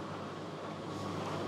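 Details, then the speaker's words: Fisher and Paykel condenser dryer, drum previously not turning and humming, now running after the belt was pulled to start it; smooth, steady rushing hum with no knocks or labouring: normal running. "wow it's like a jet engine now okay that's looking beautiful"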